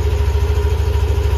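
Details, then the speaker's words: All-stock Yamaha Aerox scooter idling on new ZIC M9 4AT 10W-40 fully synthetic oil: steady, even low putter with a smooth regular pulse and no knocks or roughness; still running smoothly, engine healthy. "Smooth pa rin yung andar."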